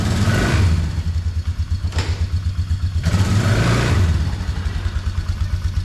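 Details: 2004 Polaris Trail Boss 330 ATV after transmission repair (no reverse) and water in fuel system, temporary longer air filter fitted; single-cylinder thumps steadily, picks up cleanly on throttle blips, running evenly without knocks or misses.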